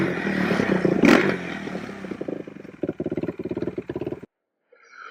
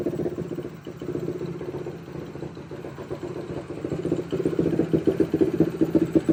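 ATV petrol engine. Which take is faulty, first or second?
second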